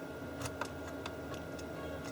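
Irregular crackles and brief pops break through a steady hum as the selector is worked, pointing to dirty input selector switch contacts.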